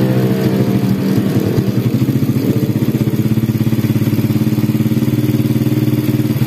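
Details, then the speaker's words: Honda Supra Grand after replacing the cam chain, worn chain roller was the cause: even, quick thumping idle with no chain rattle after about a minute of running, only a slightly loud exhaust; the earlier rattle is gone. "Nah kayak gini suaranya Udah halus kembali ya Tadi parah banget gemericik banget ya karena roll katanya habis nah ini udah mendingan ya"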